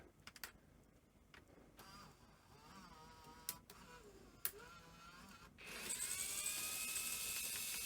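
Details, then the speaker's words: Sony EV-S700 Video8 deck from about 1988, being tested after partial reassembly with a cleaning cassette; faint motor whirr rising and falling with scattered clicks; the loading mechanism keeps cycling abnormally and spills out tape. "well that sounded awful oh yes okay so it's the Spilled Out a load of tape"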